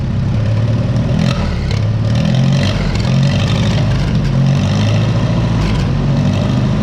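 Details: 1955 Oliver OC3 crawler, sat 20+ years, with IH Farmall M distributor, new coil, new float, timing advanced, about 20° outside: steady even low rumble with smooth firing beat, no misses or knocks; idling cleanly.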